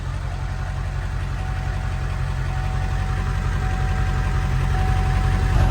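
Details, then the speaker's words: Diesel in bitter cold, just refilled after running nearly empty, warmed up after a drive. Low idle, uneven stumbling beat three to four pulses a second, breaking up; owner blames low tank, unconfirmed. "And since the other side of my camera wants to be finicky, she's breaking up a little bit, but it needed fuel bad. It definitely was a problem that we had the tank so low."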